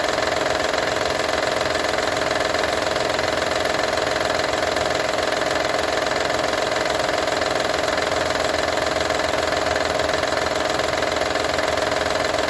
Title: Honda Odyssey 2012 - rattle sound